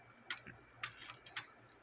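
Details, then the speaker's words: Antique American Cuckoo Clock Co. cuckoo clock movement on a test stand, fitted with lighter weights: crisp, even ticks about two per second, a normal running time train. The cuckoo side is not working; an eight-day chain, thought too thick, is suspected. "the clock is ticking away even though I got lighter weights on it than what I think it calls for"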